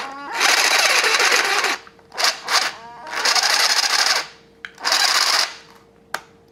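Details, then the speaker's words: Snap-On CBR 30 12-volt cordless drill with a broken forward/reverse selector switch, run before teardown: short full-speed bursts in each direction with a harsh, gritty whir over the motor hum; rough and dry, owner suspects it needs lubrication. "sound good either way it does it probably some some lubrication"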